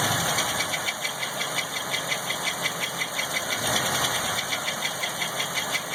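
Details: LT1 engine at idle with a couple small revs: regular ticking knock about three per second over a bright hiss, rising slightly with revs; unknown engine noise, cause not identified.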